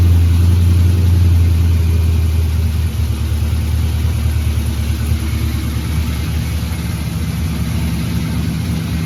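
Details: 1984 Ford F150 V8 after underhood harness tuck and number 8 spark plug replacement, no coolant in it: settles from high start-up speed into deep, steady idle, even beat, no tick or miss; 64 psi oil pressure.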